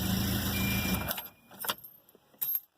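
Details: 1993 Volvo 240 automatic, which would not start after the key stuck in the ignition, now starts after the shifter was torn apart and a broken plastic piece replaced; steady hum for about a second, then shut off and keys jangle, running normally.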